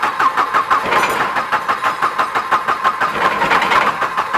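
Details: Volvo 240 turbo drift wagon after fuel pump replacement: steady cranking about three beats a second with no firing at all; still won't start, timing suspected off, not yet confirmed. Cranking no-start.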